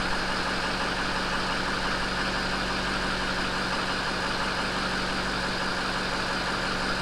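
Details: 6.0 diesel truck after alternator replacement (battery 11.6 V before start, near 14 V running): steady, even diesel idle with smooth low drone, no knocks or squeals. Normal idle.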